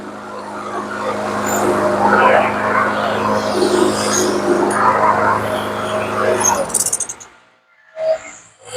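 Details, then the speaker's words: TB360 mower with commercial Briggs & Stratton engine, gummed carb from old gas, ran shaky on the old plug: after new spark plug, runs steady and even about six seconds, no misfires; normal smooth running. "And with a new plug, it sounds a whole lot better. It sounds pretty smooth. So she's ready to go."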